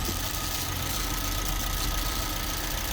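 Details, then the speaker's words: Suzuki Swift petrol engine idling after seals changed, still slightly cold: light, fast rattle from a little one-way valve over the hum; earlier rev hunting, no check engine light. "so uh we'll get this all buttoned up to see where we sort of sit from here really yeah you can still hear that little one-way valve"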